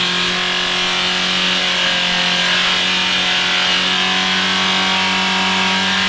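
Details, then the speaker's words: Mitsubishi Carisma diesel overfilled by a few liters of oil, exhaust still fitted: engine screams at a steady, very high rev with no throttle input; diesel runaway. "Dieses Auto ist ein wenig Lauter geworden. Ist scheinbar aber original, weil Auspuff ist ja noch dran ne ;P Nein, heute geht es um einen Diesel Runaway"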